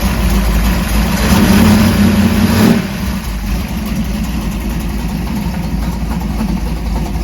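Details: 1968 Dodge Dart drag car, stroker Mopar small block with solid roller cam, warming up after a cold start: deep, slightly lumpy V8 idle easing down after a brief blip, then a steady even beat; healthy warm-up idle.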